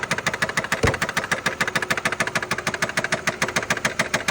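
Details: 2012 Nissan Altima 2.5 L engine at idle: sharp, loud, regular ticking knock about three times a second; owner suspects connecting rod bearing, not confirmed.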